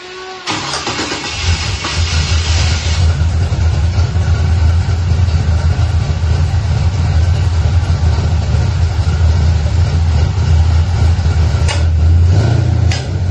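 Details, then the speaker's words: Nova V8 after rebuild with hydraulic roller cam, lifters, pushrods, rockers, springs and rejetted, upgraded carburetor: deep, even burble after a quick catch, steady and smooth with a brief throttle blip; running well. "But anyways, we got her running and she's running pretty good. So, we're going to hear it right now."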